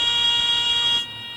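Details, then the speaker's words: Training airplane during power-off/power-on stall practice, nose pitched high: steady buzzy high-pitched stall warning whistle holds about a second then cuts off as the wing reaches stall. "listen to the other indicators of a stall that whistle building yep there it is big old whistle"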